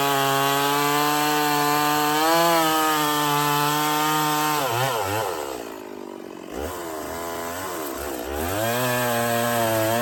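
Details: Stihl 024 chainsaw after carb tuning and a makeshift aftermarket air filter, cutting firewood under load: strong steady high-revving buzz that pulls down and recovers cleanly, no misfire or stumble; sounds good up high, not missing, healthy.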